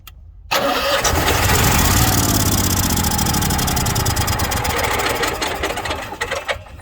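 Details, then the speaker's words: Onan 5500 motorhome generator at 4,700 ft, after new carburetor, spark plugs, fuel filter, fuel lines and oil: starter cranks steadily, about 3.5 beats a second, but never catches; sometimes runs half a second. Cause unknown. "sometimes it will run for a half a second to a second"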